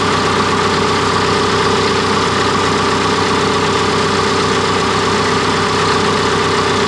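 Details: Cat D3K2 dozer diesel, brought in for rough running, power loss when pushing, RPM fluctuation and white smoke; even, steady idle with no misses, knocks or surging while DPF soot load reads 12%.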